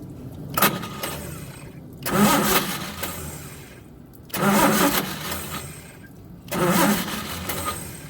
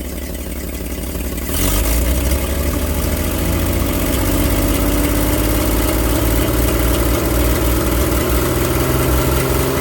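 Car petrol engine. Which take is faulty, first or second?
first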